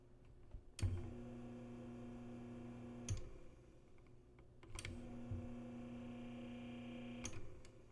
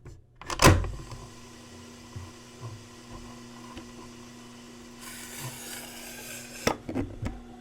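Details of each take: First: Panasonic RE-7070 8-track player/AM-FM stereo tuner, fully working estate-sale find, running with no cartridge: near-silent steady low hum between two switch clicks, no rattle or flutter; the tape transport itself makes almost no noise, runs healthy. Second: Panasonic RE-7070 8-track player/AM-FM receiver playing a cartridge: steady low hum with scattered clatter and rattle from the noisy cartridge itself; machine is nearly silent without tape.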